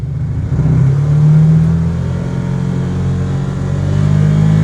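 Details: Can-Am Commander driving after a driveline rattle fix with a new carrier bearing and a heater-hose sleeve. The engine drones low and even, rising and easing smoothly with throttle, with no rattle or clatter from the driveline; normal.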